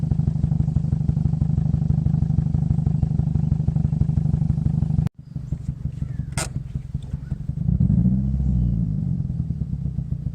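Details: 2005 Scion xB, 135,000 mi, power loss and rough idle: idle chuffs with an irregular, lopsided beat and a missing pulse; misfire found to be a bad coil pack on cylinder 4, so that plug was not firing.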